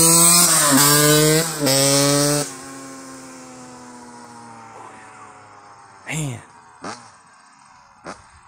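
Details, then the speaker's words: Yamaha YZ85 two-stroke after a fresh top-end rebuild, about 2.5–3 hours on it, revved in neutral: crisp high-pitched revs climb and drop back cleanly with an even tone and no knock or rattle. The small piston revs out high safely. Healthy. "Yeah, those 85s, they can rev out pretty high. It's not going to hurt them. Really small piston, I think small bore, small stroke. You could turn a lot of RPMs pretty safely that way."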